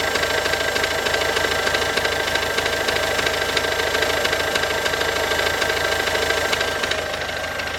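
Diesel idling with a steady, fairly even knock of about three per second riding over the engine note; cause not yet clear.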